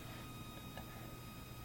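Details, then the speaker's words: Macintosh SE/30 power supply at switch-on, after a hard drive was installed: faint steady high whine and the fan never starts; supply fails to come on, cause unknown, possibly combined with a checkerboard video fault. "That whining sound, the fan, it's not even kicking in."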